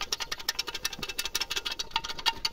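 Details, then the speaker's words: VAZ-2109 1.5 petrol engine just reassembled after head gasket, timing belt, water pump and valve adjustment: sharp ringing metal-on-metal knocks, about six a second, from loose metal pieces found inside the engine. "Какие-то опять стуки такие звонкие, как будто металл об металл бьёт."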